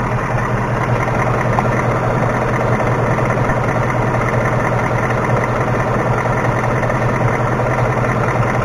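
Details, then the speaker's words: 2018 Mustang GT V8 idling, recorded underneath where tapping is quieter than from above; light uneven tapping about two or three per second, worse passenger side, stethoscope finds taps in some cylinders only; cause unconfirmed. "hey it when we were outside it was tapping away like unbelievably it's almost harder to hear down here"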